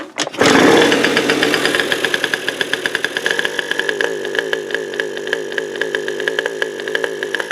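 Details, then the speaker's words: 2000 Aprilia 50cc scooter with 15,000 miles and electronic ignition problems: a loud pop, then an uneven putter that won't rev up; the backfire is taken to indicate a timing problem, not confirmed. "and here a little update soft painfully we're getting a backfire which indicates that the timing is"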